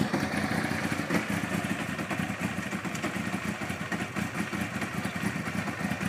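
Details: 1992 Honda CBR 900 idling with busy, rapid light top-end clatter that does not let up; owner suspects the timing chain or its tensioner, cause not confirmed; abnormal engine clatter.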